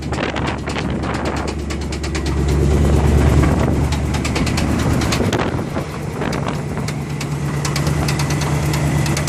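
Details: 1985 Chevrolet Silverado K10 pickup with 305 V8 (third engine): sharp, fairly regular ticking knock about three times a second over a rough idle; engine knock, source still being diagnosed.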